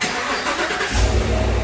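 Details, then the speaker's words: 2015–2019 Cadillac Escalade 6.2L V8 right after spark plug replacement with boots reinstalled: short starter whirr, catches about one second in and settles into a steady, even low rumble; starts and runs normally. "All right, now that you got all the boots on on both sides, the job is done. All right, we'll start it up and make sure it runs."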